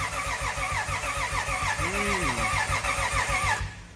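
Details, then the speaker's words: Lexus IS300 turbo 2JZ, first crank since the engine was blown, after wiring, range switch bypassed; quick, even starter pulses about three per second but never fires, spark still to be checked; crank no start. "i was really hoping to hear it start tonight but we still have to check for spark"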